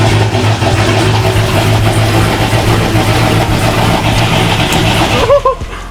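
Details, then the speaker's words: C5 Corvette V8 at first start-up after installing a BTR Stage 3 cam, with catless longtube headers, Corsa Xtreme catback, ported manifold and 85mm throttle body: lumpy, loping idle runs several seconds, then the engine suddenly dies, stalling after starting. "what happened it turned off all right crank it again"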